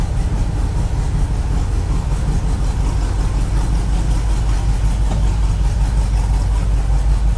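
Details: Drive-by-wire engine with a newly fitted throttle body, during a cold start logged on the VCM scanner: a deep, loping, choppy idle. The cam was found too large for the stock induction.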